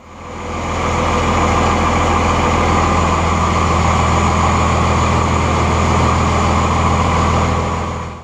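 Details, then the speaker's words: 1999 Cummins 24-valve diesel with hard, long starts and heavy white smoke, about half the injector lines cracked: even starter churning about 3.5 beats a second for eight seconds without firing; failing injection pump causing long crank. "Customers complain of hard starts and long starts, and once you get it started, it's white smoking real bad out the exhaust."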